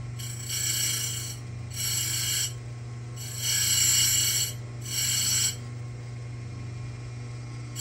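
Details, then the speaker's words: Simington 451c chainsaw chain grinder dressing its stone: a steady motor hum with short, raspy hissing bursts of about a second as the stone touches the dresser, sounding normal. "okay that is Dressing Your Stone"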